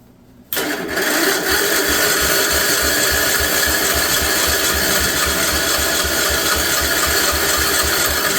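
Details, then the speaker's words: 1958 Wisconsin AENLD engine, first start attempt in many years: starter cranks steadily about four turns a second with a rattle, never catches; lots of oil in the cylinder, probably flooded, re-choking; flooded engine cranking. "right flooded it probably let's full choke it again"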